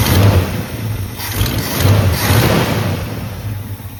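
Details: 1985 Chevy C20 that sat 10+ years, idling very low with a lumpy, choppy, stumbling beat and irregular low thump, though it revs fine; possible slight lifter noise, cause of rough idle not yet clear.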